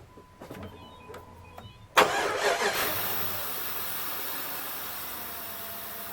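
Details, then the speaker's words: 2003 Jeep Grand Cherokee 4.7 after cleaning the idle control valve: a few chimes, then a quick crank into a smooth, steady idle with the air bleed valve's suction sound audible. Normal idle. "perfect and that's what she's supposed to sound like i don't know if you can hear that suction sound but that's the uh right there that's that air bleed valve working like it's supposed to"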